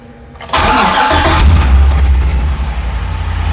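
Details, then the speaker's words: LS-swapped 1984 Ford Bronco II with Holley EFI gauges, sat four or five days: starts after barely half a second of cranking and settles into a steady, deep, smooth idle. "I mean this thing just starts up like a brand new Chevy Silverado just starts right up there's no cranking there's nothing it just pops right off runs super smooth"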